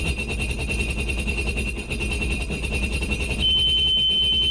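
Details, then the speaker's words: Sea-Doo Spark jet ski that threw a check engine code and died on the water, with a suspected cylinder misfire: rapid warning beeps over a brief engine rumble that tries to start then stops; owner guesses timing. "Oh, there it is. It tried to start and then it stopped. So something's off."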